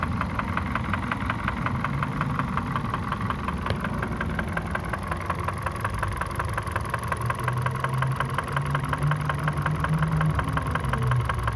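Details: Kia Ceed 1.6 at 62,000 km, idling: sharp, regular metallic tapping about three per second over a steady idle; engine knock present, cause unknown.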